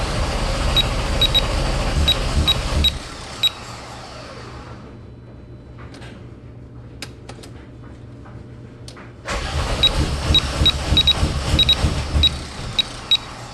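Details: VW GTI VR6: starter churns at about three turns a second, engine never fires, pause, then another long crank with no catch; cranks but won't start.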